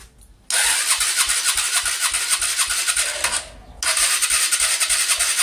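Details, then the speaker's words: Honda Cargo motorcycle after a fall, rocker arms adjusted, cranked on the starter: fast starter whirring in two runs, engine never fires because the spark plug cap was disconnected; no spark, cranking no start. "arranque y como vemos vemos que no quiere arrancar vamos a ver si no quedó muy presionado alguna de las válvulas"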